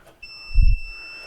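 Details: Speed Queen SG4990W commercial dryer that won't start: push-to-start switch behind the timer panel tested with a volt-ohm meter, one wire removed to isolate it; a clear steady high beep about a second with one soft thump shows continuity, so the switch is good.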